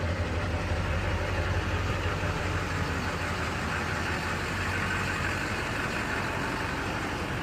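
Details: 2004 Chevy Silverado 2500HD Duramax diesel, cold start after the glow plug light goes off: even diesel clatter at a steady idle, no misses or knocking beyond normal cold rattle; healthy cold idle.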